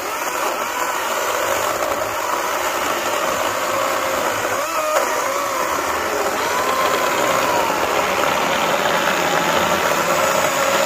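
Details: Greenworks 80V battery chainsaw cutting mostly oak sawmill slabs: steady high whine dipping slightly as the chain bites into hardwood, smooth throughout; normal cutting.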